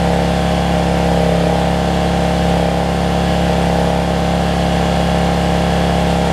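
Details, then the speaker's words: Generac 7500EXL generator running after unplugging a faulty low-oil sensor that had shut it down within 3–5 seconds; loud, steady high-pitched drone with no load changes, sounding a little fast, governor speed set too high and engine overspeeding before throttle adjustment. "kind of sounds like it's running a little fast to me"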